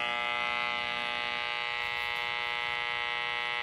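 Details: Sylvania 1-251 tube radio, about 1950, on low AM band after alignment: steady raspy buzz over reception, unchanged by unplugging room lights; source not yet found.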